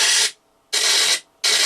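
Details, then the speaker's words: Quadraphonic 8-track player revived after years in storage, speakers connected: three harsh bursts of static under half a second each as the volume knob turns; crackling volume potentiometer needing contact cleaner. "Yes, I heard a pop. That's the volume knob, I think. Oops. And cracky. Yeah, they're obviously going to need some contact [snorts] cleaner in them."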